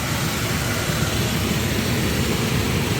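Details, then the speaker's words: Jacuzzi spa pump after electrical repair on a service call, running through its startup pump sequence; steady low churning hum with water rush, even and unbroken, no leaks, running normally. "See, that's the pump that's on right now. Then this one will kick on."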